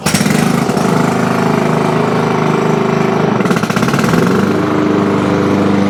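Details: Engine runs steady with the blade engaged and no squeal or grinding on a Toro Super Recycler mower, after diagnosing loud noises with the blade engaged and replacing the belt, bearings and pulley; healthy blade drive.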